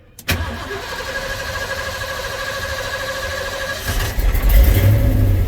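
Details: 1990 Ford F-350, 5.8 351 gas V8, 5-speed, 105,000 miles, cold start: brief crank, catches at once, settles into a steady idle, then a quick throttle blip; a clean, healthy cold start.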